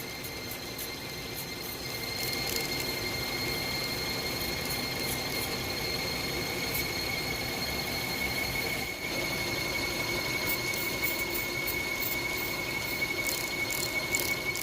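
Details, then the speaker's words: Hyundai Tucson accessory drive at idle: constant high-pitched squeal with light chirps. Present for weeks; belt squeal diagnosed with soap-and-water spray, suspected pulley not yet confirmed. "There you go, that high-pitched noise. That's the one I'm talking about."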